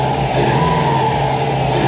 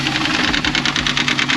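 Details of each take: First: 2004 Subaru WRX wagon first start after a used timing kit was installed to cure a knock from a loose, freely spinning pulley: strong, steady boxer idle with even low rumble and no knocking. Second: 2004 Subaru WRX wagon turbocharged boxer at idle with fast, sharp knocking of about ten a second, mistaken for rod knock but caused by a collapsed timing belt tensioner whose pulley spins freely.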